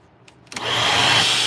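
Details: Vacuum cleaner on a brush and motor test: motor snaps on and climbs to a high, steady whine with choked, hissy airflow, the changed motor sound caused by a clog; clogged filter.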